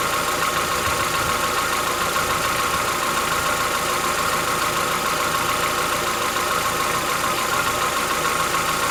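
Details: Chevrolet Onix 1.4 (2014-15), cold start on gasoline; fast even light ticking three to four per second over steady idle, lasting about 10 minutes, worsening yearly since new. Owner says it is inside the engine, not injectors, suspects lifter knock; dealers call it characteristic.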